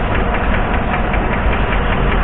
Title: Engine Knocking Noise || Valve Lifter Noise